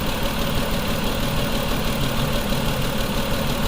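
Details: 2004 Mazda 6 3.0L V6 with codes P0304 and P2227, coils already replaced: rough, uneven idle stumbling about three times a second from a cylinder 4 misfire. Bank 2 is adding 14% fuel and the cylinder 4 injector needs replacing.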